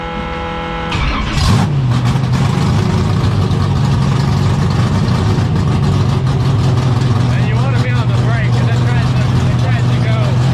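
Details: 1972 AMC Javelin race car V8, motor not run in almost 30 years, started: brief crank, then catches into a loud, deep, lumpy, strong even idle. Normal idle.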